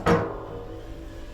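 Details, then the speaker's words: Boiler expansion vessel on a leaking boiler, tapped by hand: two sharp taps give a dull, solid, full thud instead of a hollow ring; vessel waterlogged. "that's been blowing off as well definitely sounds very uh full should sound like this a bit Hollow"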